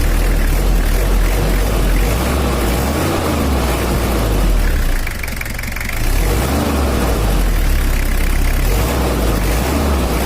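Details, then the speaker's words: Toyota Kijang LGX with 2L diesel, older engine, after repair: mild, even clatter, not too dry or harsh, dips briefly then picks back up smoothly with no heavy knock; normal diesel idle. "ini suaranya udah ada cracknya enggak terlalu garing dan juga enggak terlalu kasar kalau juga sudah halus suaranya"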